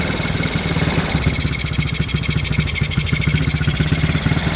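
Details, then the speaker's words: Chinese four-wheeler (ATV) with 223 miles, single cylinder idling slightly rough and uneven just after restart with fuel turned back on; breather removed so it runs worse, needs suction to draw fuel from bowl; no smoke, owner plans cleaning breather. "a little, not smooth yet, but I'll get it there. Got the breather off too, so that makes it not run quite as good as it would."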